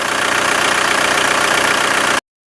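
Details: VW TDI diesel after injection pump seal replacement and priming lines: steady, even diesel clatter with a smooth idle pulse, no misses or knocks and no leaks; normal idle.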